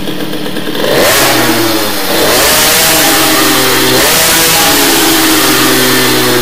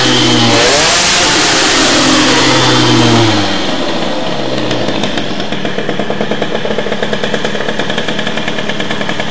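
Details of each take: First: Teknix T6 two-stroke moped with BOOST cylinder head, revving up with a thick, burbling, lazy note that is not crisp and sounds nothing like the Doppler head; running too rich, main jet will be lowered. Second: Teknix T6 two-stroke with BOOST cylinder head, main jet lowered after running rich, crisp rasp rises with throttle then holds a steady, even fast beat; it sounds much better and revs cleanly.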